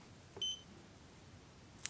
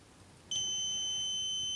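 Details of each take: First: DM40C 3-in-1 multimeter in diode-test mode on a 1N4148 diode: two short, high, clean beeps about two seconds apart, the meter's single-beep signal for a normal silicon diode with a 0.6 V threshold. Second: DM40C 3-in-1 multimeter continuity test on a 10 ohm resistor: quiet, then a sudden steady high-pitched beep holding without break; normal continuity beep.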